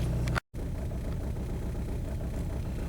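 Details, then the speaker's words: 2002 VW Beetle 1.9L TDI ALH diesel sitting in the bay idles with a deep, irregular stumbling beat and shaking; suspected common TDI slowdown shudder, described as an easy fix; rough, stumbling idle. "it's shaking hopefully you can hear it the engine is not an irregular rhythm it is stumbling and shaking"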